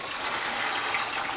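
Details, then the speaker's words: CPR 202 overflow with Tom's Aqua Lifter and Aqueon Proflex IV sump, power to sump pumps switched off as a siphon-break test: steady gurgling rush of draining water with no pump hum as the siphon empties and sump level rises; normal siphon drain. "and you can hear the siphon. You'll see the level in the sump rise."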